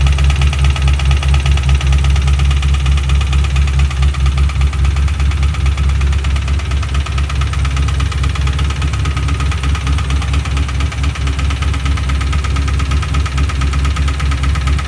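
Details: 2005-09 Mustang GT 4.6 3V V8 at idle after full Ford timing kit, phasers, VCTs, lifters, followers, cams and Melling HV pump, no rod play felt: steady knock two to three a second; rod knock or faulty phasers suspected.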